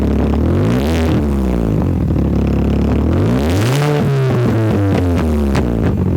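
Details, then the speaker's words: Mini Cooper S R53 with the Borla cat-back removed, running open after the resonators: very loud, raw blat as it revs up and settles, pitch following the throttle. "see how it sounds without The Bard system so it would be a cat back it'll be pretty loud because you got this resonator this one and that one"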